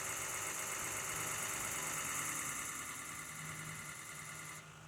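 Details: Ford F-250 6.0 Powerstroke diesel: starter cranks the engine evenly at about three and a half beats a second, but it never fires; crank no start.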